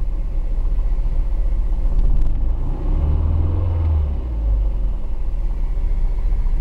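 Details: Engine misfire heard from inside a 155: deep, uneven engine rumble with a lumpy, stumbling beat.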